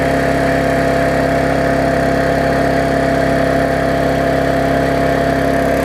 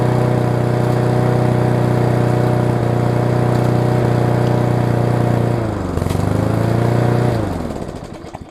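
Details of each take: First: Yard Machines mower single-cylinder after tune-up (auto-throttle unbent, carb diaphragm, air filter, oil change, blade sharpened): steady even buzz, no surging or missing, burning off excess fuel with some raw exhaust; normal running. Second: Yard Machines push mower with an engine dated around February 1999, traded in with a bent-back auto-throttle: it runs steady for a few seconds, then stumbles, sags and dies, possibly from too much gas. Symptoms of a bad carb diaphragm; diaphragm and air filter to be replaced.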